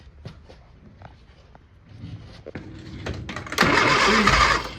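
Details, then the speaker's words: Old Austin Mini Cooper being fitted with an MSD/Lucas ignition: quiet, uneven cranking, then a brief loud rough burst as it almost catches but dies. Spark or timing suspected. "Oh, it looked like it wanted to start."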